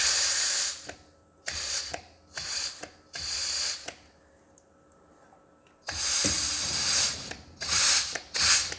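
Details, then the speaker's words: Reassembled John Deere 1640 PTO clutch pack tested with compressed air: sharp hissing air bursts with a clack as each starts, as the pack engages and disengages cleanly with no grinding. "And then when we put air up the pack here, you can see the pack engage and disengage."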